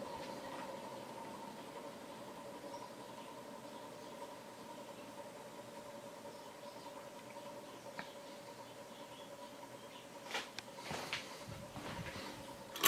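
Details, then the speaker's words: Ceiling fan with reversing switch, on high speed: quiet steady hum with a faint squeaky ticking edge, still clicking slightly on low; suspected bearing noise. "And there is some bearing noise, as you can probably hear."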